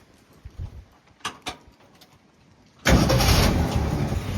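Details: 1960s Ford F100 pickup, restarted after sitting 10–15 minutes: a few quiet clicks, then the engine catches at once and runs on with an even, steady low rumble; it starts fine.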